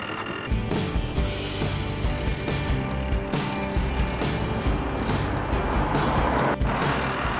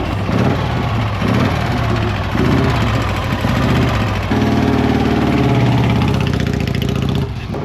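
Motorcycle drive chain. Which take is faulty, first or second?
first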